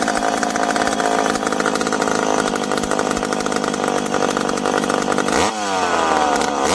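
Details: McCulloch PM700 chainsaw, freshly ported, first run: crisp, even high-pitched buzz holds steady through the wood cut, then drops cleanly off throttle; strong, healthy running, now to be broken in.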